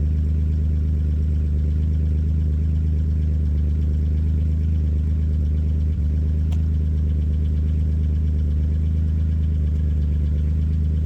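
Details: Chevrolet C1500 truck with 3100 V6 turbo, after fitting a new Flowmaster FlowFX muffler and 3-inch tailpipe; cold idle while checking welds for pinholes. Deep, steady low rumble with even pulses, no hiss, puffing or ticking: normal exhaust idle.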